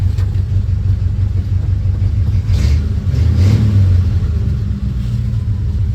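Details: 1940 Ford Tudor revving after new tailpipes from an eBay kit were fitted (hangers and clamps still to go on): deep, even exhaust burble swells smoothly with throttle and settles, no rattles or blowing. Normal revving.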